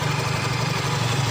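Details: Scooter with a rough snoring noise from the CVT/rear gear area while riding: coarse, gritty grinding under the engine note; gear case run dry of oil, bearings likely damaged.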